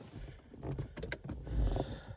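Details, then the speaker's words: DeLorean (EcoBoost) driver-side door after installing a replacement window regulator and motor: short, even motor hum as the glass runs down smoothly, no grinding, binding or clunks; window regulator working normally after repair. "I'm going to go down oh oh yeah nice and smooth boom that job is done"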